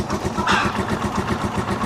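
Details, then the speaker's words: Rusi Chariot 175 single-cylinder motorcycle, cold engine unused nearly two weeks, one-click start without choke, no hard start, well tuned, new NGK spark plug. Even, steady thump about eight pulses a second, no stumbles or misses; clean healthy cold idle. "So one click start lang mga travelers. Hindi ko na ginamitan ng choke. Buti hindi siya nag hard start."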